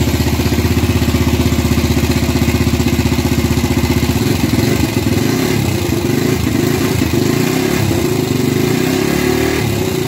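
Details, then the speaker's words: Gilera 150 Super Sport fitted with a Honda AX100 carburetor, first start with basic timing and the ignition plate set almost fully retarded. Steady popping about three beats a second thickening into a lazier beat: retarded ignition timing. "bueno por ser el primer arranque con una puesta a punto básica se siente que está atrasada pero puse la plaqueta casi totalmente atrasada"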